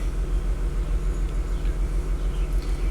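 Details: 2004 Audi A6 wagon, 3.0 V6, about 110,000 miles, idling: deep rumble with an uneven lope, about two stumbles a second; misfire counting on cylinder two, new ignition coils recommended, MAF sensor fine.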